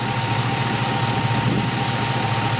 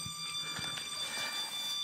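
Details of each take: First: 1977 Camaro Z28 V8 warming after a cold start, around 140° with exhaust at 230°: even, steady idle with a faint constant whine on top and no knocks or stumbles; runs fine. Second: 1977 Camaro Z28, warmed up with thermostat open at about 190°: a steady shrill squeal from the engine, only at higher RPM; source not yet identified.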